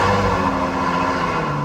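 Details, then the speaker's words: Ferrari FF dead cold start after sitting about a day: a loud, steady high idle with a deep exhaust drone as the engine is loaded to heat the catalytic converters quickly. It spits, sputters and wanders slightly as it warms, which the owner considers normal. "So, when I when I start it, you're going to hear the exhaust is going to be pretty darn loud. Um, it's going to uh because it's it's loading the engine down to heat the catalytic converters as quickly as possible."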